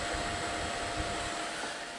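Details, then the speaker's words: Amiga 2000 power supply original fan before swap for a PC fan: constant airy whoosh with thin steady whine on top, no speed change; loud fan that howls like a banshee. "but I'm gonna change the fan that howls like a banshee"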